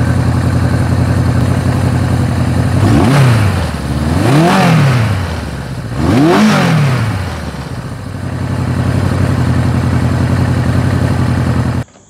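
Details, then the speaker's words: Suzuki GS750 four-cylinder after air filter upgrade, ignition relay mod, valve adjustment, carb vacuum sync and Colortune fuel/air screw tuning: even idle with three quick throttle blips rising and dropping cleanly; runs smoothly. "now that all the adjustments have been made let's start it up and see how it sounds"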